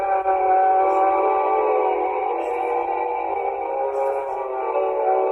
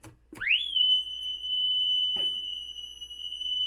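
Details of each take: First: 1960s Mayfair Model 200 four-transistor tape recorder playing music: sustained notes waver up and down in pitch from imperfect reels and old tape; tape wow and flutter. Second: Vintage tape recorder playing back a self-recorded 3000 Hz test tone into a PC wow-and-flutter meter: after a quick rise the tone holds dead steady with no audible wobble; about 0.3–0.4% RMS, 0.7 peak.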